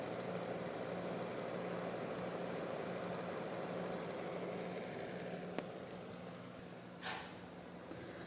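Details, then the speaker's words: Acer Nitro 5 laptop, recorded close up before fan replacement and thermal service: steady fan whir with a rough, uneven rasp in the hum and no speed change; worn cooling fans need replacing. "fanlarla değişmesi gerektiğini kendisine ilettik onay dahilinde de birazdan sizlerle beraber fan değişimlerini yapacağız fanlardan gelen hırıltılı sesi duymuşsunuzdur diye tahmin ediyorum"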